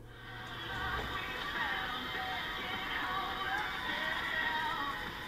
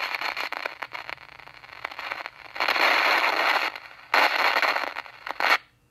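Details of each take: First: RCA 8-X-541 tube AM radio playing music cleanly and steadily with no crackling, after fixing a compromised capacitor and solder joint that caused the crackling noise. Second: RCA 8-X-541 tube radio, after recapping and replacing out-of-tolerance resistors, gives a harsh irregular crackle and static bursts. Signal tracing finds the noise already at the volume control's high side, so it comes from the front end, not the audio section. Many viewers suspect silver mica disease.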